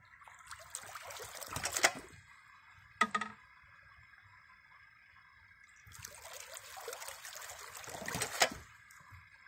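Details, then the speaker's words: Homemade ram pump with 1 1/4 in brass check valve: pulsing water rush with a sharp valve click each cycle, slow repeating rhythm; pump cycling normally, running continuously. "hear that check valve it's the sound of progress me personally I'm not one that likes repetitive clicks and bangs but when I hear this it just makes me feel all warm and fuzzy inside because it's something doing it it's working 24 hours a day seven days a week"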